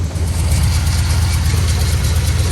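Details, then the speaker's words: 1967 C60 on C30 frame, big-block V8 with new water pump, warm: lumpy idle with uneven thump and skipped beats, a misfire; cause not confirmed. "We got heat on this side now, so it's definitely doing its job. Got a misfire happening though, which is a little odd."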